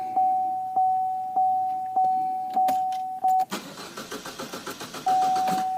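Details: 2014 Chevy Cruze Ecotec, crank no start with no codes and good 58–60 psi fuel pressure: warning chime then about two seconds of even cranking at roughly seven beats a second, never catches; later traced to the coil pack.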